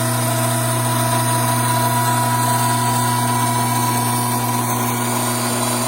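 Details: Gear hydraulic pump with restricted inlet, vacuum rising from 3 to about 16 inHg, pressure falling from about 310 to just over 200 psi, temperature climbing from 87 toward 100 °F: loud steady rattly drone of pump cavitation.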